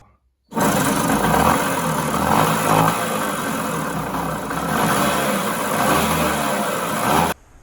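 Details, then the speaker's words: 1966 Bridgestone 60 Sport two-stroke that sat for 50 years: a rough, gravelly growl under the exhaust note rises and falls with revs; the main bearings are worn out and the crankshaft moves up and down. "It just, I don't know if you can actually hear how bad that goes, but it just growls."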